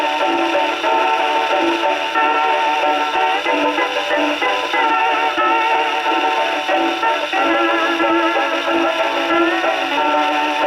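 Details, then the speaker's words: HMV No. 4 reproducer, rebuilt, owner-reported buzzing/distortion, isolator gasket modified to fit tonearm, tested on Victrola VV-50 with new mainspring, freshly serviced machine: record plays cleanly, full clear tone, no rattle or buzz on loud passages; still sounds good, fault not reproduced. "There you go. Still sounds good."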